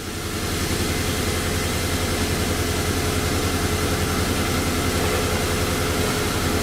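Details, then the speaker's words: 2005 Nissan Altima with blown head gasket diagnosed by another shop, very wet plugs: rough idle with an uneven, stumbling pulse of about three to four beats a second, misfire from a coolant-fouled spark plug. "There you can hear that miss. You hear that foul plug."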